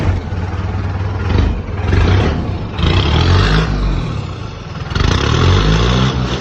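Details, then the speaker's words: Mercedes Vario campervan with a straight-through exhaust and no silencer box fitted: deep, uneven, tractor-like rumble swelling with each throttle blip; a silencer box is needed. "Well, definitely sounds like the tractor. And I think we do need the box on it."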